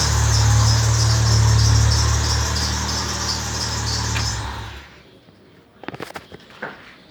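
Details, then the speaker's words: 1998 Fiat Palio Fiasa engine at idle with the belt off, after it had been properly tensioned: constant high whine over the hum, sounding like a belt but diagnosed as the alternator. "Parece até barulho de correia, mas não é. É o alternador."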